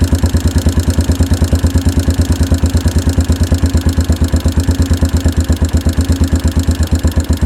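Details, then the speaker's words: 1992 Yamaha Big Bear ATV single-cylinder, revived after sitting a decade or more, running after carb mixture screw adjusted (screw was replaced); steady even thump about three beats a second, no misses: normal healthy idle. "and it's running so they fuel mixture screw had to be adjusted a little bit because it was replaced"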